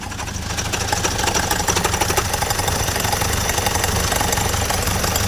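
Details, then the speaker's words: 1928 Durant, first start after reinstalling the engine and the clutch plate on the flywheel: steady running with a busy metallic rattle over the idle. Owner says he forgot to tighten the clutch down; cause not confirmed. "to tighten the clutch I forgot to tighten the clutch down there so I'll do that and then it'll be good to go"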